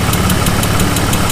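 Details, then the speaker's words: BMW E36 after slave cylinder replacement, steady warm idle before test drive: sharp fast ticking about six per second, top-end or exhaust-like; owner fears a lifter tick, will check once cooled, source unconfirmed. "all right so before you taking it out there is one thing I've noticed that ticking away I'm really praying and hoping it's not lip you take"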